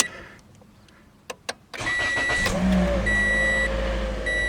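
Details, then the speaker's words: 2015 Toyota Corolla, about 90,000 miles, just after a tune-up with new ignition coils and DENSO iridium spark plugs: key chime, short crank, quick catch into a smooth steady idle, no check engine light; healthy start. "it works. Any check engine light? No. Perfect."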